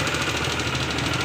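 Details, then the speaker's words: Yamaha NMAX V2 single-cylinder scooter with about 46,000 on the odometer, idling: fast, even ticking clatter, a light metallic valvetrain knock traced to a worn exhaust rocker arm. "So ang naging problema ng motor ni sir a yung kanyang ah exhaust rocker arm."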